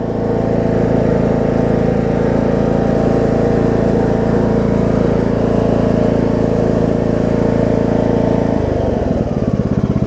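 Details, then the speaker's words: John Deere D105 riding mower, about 62 to 64 hours, gear transmission, revived after sitting for an unknown time: smooth, even engine note holding steady speed without surging or misfiring, settling at the end; running just fine now. "I mean, you can hear it's running just fine now. So that should be it for this."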